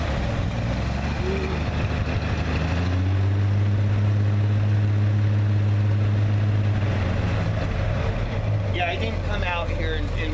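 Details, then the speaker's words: 1955 GMC 3/4-ton Napco 4X4 with foot starter, started cold: a deep, steady rumble that swells briefly as revs rise (the accelerator rod is bent, making the throttle hard to hold), then settles to an even idle. A healthy cold start. "it is cold so it it starts real good even when it's"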